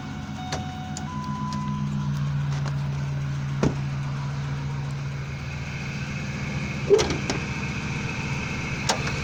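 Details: 2001 Ford F-150 SuperCrew 4x4 with 5.4 Triton V8, new long block at about 216K miles now run about 11,500 miles, cold air intake, 6-inch lift: steady, even idle with smooth low hum, no knocks or misses; healthy.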